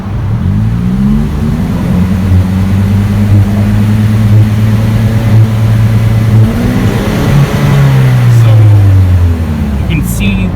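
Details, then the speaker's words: Saab 9-3 fitted with a knock-off Bee*R (PQY Power Builder) rev limiter box set to the factory 3000 rpm cut, cutout closed. The engine is held near a fixed rev with a choppy, uneven stumble as the ignition cuts out. The box doesn't work correctly. "light is actually blinking down there and it is seems like it's doing something but it sounds like the ignition is cutting out"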